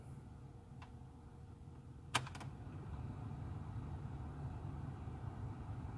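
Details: Car blower fan after replacing the defective fan resistor, heard from the passenger side: a switch click, then a soft, steady low whoosh at speed level two with no flutter. The blower runs normally at medium speed.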